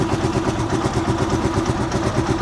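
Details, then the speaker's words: Rusi Chariot 175 single-cylinder motorcycle, cold engine just started: even putter at a steady idle that neither hunts nor races, with no ticks or rattles. Idle speed is just right, a normal idle. "Yung minor niya sakto lang yan guys. Yan, kung maririnig niyo yung minor niya, hindi po yan mataas, hindi rin mababa yung minor."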